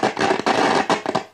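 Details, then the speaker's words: Wald model 310 five-valve AM/shortwave tube radio under repair, volume at maximum, while the tuning variable capacitor is touched: harsh crackling and popping bursts from the speaker. Suspected dirty or partly faulty variable capacitor, not confirmed. "ese chisporroteo que se oye no es nada bueno quiere decir o que o está sucio o hay alguna parte del condensador que no está funcionando bien"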